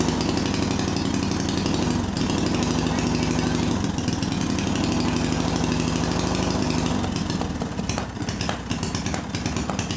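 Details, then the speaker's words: Small see-through single-cylinder turbo engine newly fitted with Amp-EFI, running on pump gasoline: starts, runs choppy and uneven, then dies; owner found spark energy fried the crankshaft position sensor, so ECU saw no crank signal. "Vamos ver o que acontece o motor começou a funcionar e depois estava funcionando Um bocadinho engraçado"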